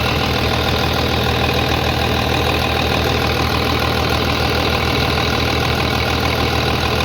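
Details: 3588 at 7,338 hours, idling on a freshly rebuilt engine with new cylinders and pistons; steady, even diesel clatter with no rhythm changes, knocks or misses, very quiet; a slight line leak was found, to be tightened; normal idle.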